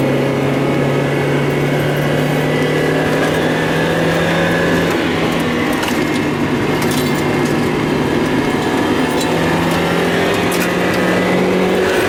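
Steady engine drone that briefly dips and stutters a couple of times, a stumble and misfire whose cause isn't clear.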